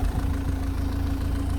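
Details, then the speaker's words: Engine idling for about 15 minutes, nearly up to temperature, after O2 sensor work, with no engine warning light and the smoke gone: a low, even, smooth idle with no misses or knocks, apart from an unidentified mechanical rattle underneath. "which sounds really good sounds smooth this all sounds good"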